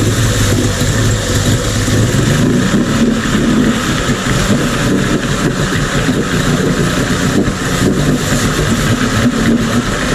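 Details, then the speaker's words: Mercury 50 two-stroke outboard (model 1050412FD) idling in a test tank after a new fuel filter and reseated inlet box fixed rough idle and stalling: steady even burble, best idle it has ever had. "so with that running you saw it run that's the best it's ever idled since I've known Ben he says it's the best title since he's owned the boat"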